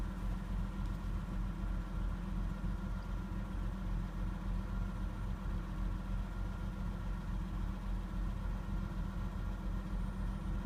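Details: Nissan Laurel RB20E after five minutes of warm-up: steady idle with a light, fast ticking of about three to four beats a second over the rumble, from noisy hydraulic lifters.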